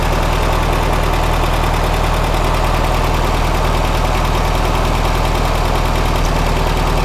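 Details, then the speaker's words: 1967 VW Karmann Ghia air-cooled engine, sat since 1975, warm idle after first drive; even rapid low thrum, steady beat, no knocks or misses; sounds healthy despite a bad leak. "Let's see what the engine's doing. Sounds like it's warmed up pretty good."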